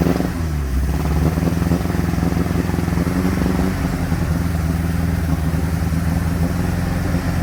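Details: 1957 Ford Popular 103E four-cylinder idling with an uneven, stumbling beat and irregular gaps in the exhaust rhythm; the engine is misfiring.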